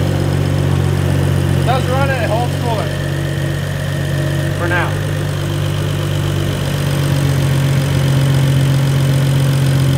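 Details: BMW E92 335i with N55 turbo six, started after an intake, intercooler/radiator and coolant line install, with a drivetrain malfunction warning; holds coolant without leaks. Steady, smooth low drone with no ticks, knocks or hissing leaks: normal idle.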